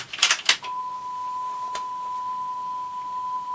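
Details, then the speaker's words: Sony TC-WR665 double cassette deck (probably early '90s) after pinch roller repair, in reverse direction playing a 1 kHz tone tape: clean steady tone, no once-a-second wobble; sounds near 1 kHz, speed accuracy unmeasured. "sounds equally good to me or equally bad whatever way you want to look at it"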